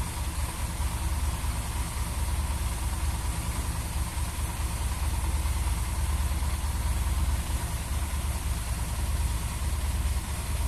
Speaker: Oi tá dando lenta ela fica aqui acima do Giro fica 40 muito alta